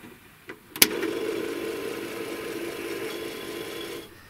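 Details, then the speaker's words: Commodore 1551 disk drive (plugs into C116 cartridge port) at power-up: sharp clack then harsh buzzing rattle about three seconds, sounds terrible up close; drive mechanism rough, cause unconfirmed; later tries loading but fails. "OK, let’s fire it up. That sounds terrible. Listen to that up close. It sounds bad,"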